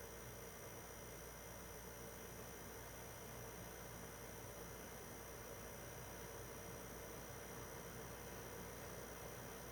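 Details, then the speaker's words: PS4 Pro 3rd gen 7215B, only dusted, no new pads or paste, during taxing game opening cutscene: steady even fan hiss with no pulsing, rattle or rising whine, not very loud; normal console fan noise. "I mean you'll be able to hear it's not you know it's not insanely loud because it's the third gen"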